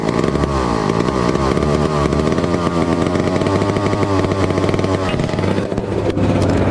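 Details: 1962 McCulloch 1-46 chainsaw, revived after lacking its carburetor and other parts: sharp two-stroke buzz climbs and drops cleanly on each rev, holding without bogging; running well.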